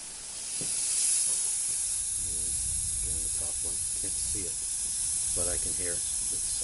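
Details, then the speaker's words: Yamaha 225 HP two-stroke outboard lower unit, pressurized by compressor: a steady high hiss of air leaking past the failed top seal under the water pump. "feel the air coming out of it so there goes my compressor"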